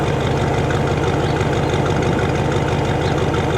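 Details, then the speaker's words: International Harvester pickup with electric fuel pump and new belts, heard at the tailpipe at idle set to 600 rpm in drive; steady even low rumble about three pulses a second, no misses or ticking, slight soft manifold noted; normal idle. "Sounds good. Idle speed right now on this truck is set at 600 in drive. 600 RPM in drive."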